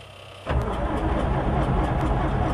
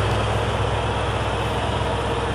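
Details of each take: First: Combine diesel with battery run down after five days, jumped from an F-150, clutch pressed to cut load: slow labouring cranking for a few seconds, then catches and settles into a rough loud run; cold hard start. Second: Combine diesel, cold, after five days sitting with a dead battery, jump-started from an F-150 using starting fluid in the air intake; low steady clatter with no misses once caught; normal diesel running.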